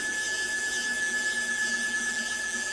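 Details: CNC machine upgraded to a TB6600 4-axis MACH3 parallel-port controller, X axis jogged with a wireless handwheel: steady high whine with soft hiss, even and unbroken; stepper motors jogging normally.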